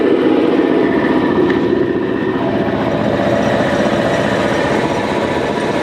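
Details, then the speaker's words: Air compressor after removing bulged fan shrouds that caused an awful metallic noise at the back: steady even hum, no scraping or rattle, pressure building toward about 7 bar; normal running. "could be that the shroud for the fan here is also pushed in and then take this one off as well yeah it is bulged out here fingers crossed that's the noise much better"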